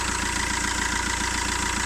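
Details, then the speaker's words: 2008 Fiat Linea at 270,000 km, after first timing chain replacement at 267,000 km: smooth even idle with steady pulse, quieter and clearer than before, no rattle, ticking or other odd noise. "Daha sessiz çalışıyor. Yani ve daha net sesi. Hani bir dağılmadır, şaldırtı ya da herhangi bir ayrı bir ses yok."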